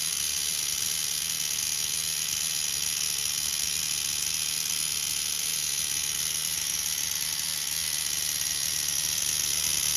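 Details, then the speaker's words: Tamiya TGS-R nitro RC car with OS 12CV engine, all fixed up after inspection for a suspected rod bearing noise: high, even buzzing whine, no stumble, misfire or clutch drag; normal running. "Sounds good to me. This is all fixed up with that clean to it. No clutch drag, nothing."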